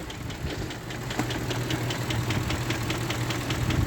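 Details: Range Rover Vogue with the M62B44TU V8: a sharp metallic tapping at about four a second over a rough idle, present since purchase and about 15,000 km since. Shops blame VANOS, but the owner says it is welded; internal knock, cause unconfirmed pending engine removal.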